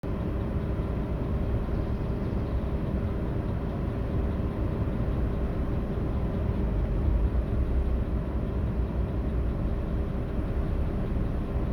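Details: Audi A8 D3 with 6.0 W12 at idle during a VCDS lambda check for misfires: steady low drone with an uneven, stumbling pulse and no clean rhythm, pointing to a misfiring cylinder.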